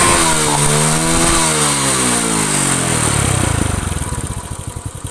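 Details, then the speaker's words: Honda Astrea Grand single, repaired for a compression leak that caused a rough cylinder-head noise when hot, revved hard on a test run: it revs up and falls back smoothly, firing stays even, no knock or rattle. Normal revving. "Apakah nanti ketika mesin panas itu masih muncul suara kasar nah ini test Drivenya saya coba sekencang mungkin atau saya geber Apakah ada kelainan"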